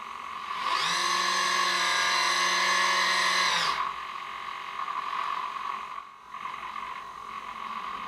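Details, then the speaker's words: Sail drum servo modified for continuous rotation, holding a 2.5 kg load and drawing 0.4–0.5 A. A steady high motor whine with a buzzy edge, struggling to hold position and slightly moving; near its load limit. "two and a half kilo load it's pulling 0.4 0.5 amps you can hear it struggling to keep it in place and slightly moving it"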